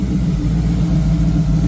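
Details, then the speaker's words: 1986 Ford Mustang GT Foxbody V8, slightly warm, open H-pipe, after base timing was set: deep, steady burble with even firing and no misses or knocks. Good oil pressure, all eight cylinders firing, healthy idle. "Uh, once I went ahead and shot base timing, you could tell the engine's running a lot happier now. Uh, it sounds a lot better."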